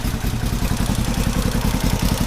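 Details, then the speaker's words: 1970 Honda CB450 twin after fixing gasoline that leaked into the engine oil from a petcock left on reserve, with the paper air filter replaced by foam. It revs with quick, even firing and no clatter. Normal running. "I would say that it runs great now. Problem solved."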